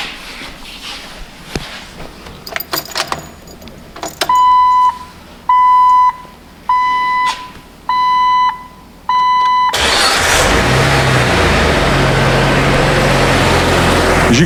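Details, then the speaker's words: Sludged, worn Jeep engine just after the unseated pushrod was reseated, before adding Seafoam: starts and settles into an even idle; the valvetrain tick is gone and it sounds healthy. "that sounds a lot better that push rod is not out anymore that tick is gone"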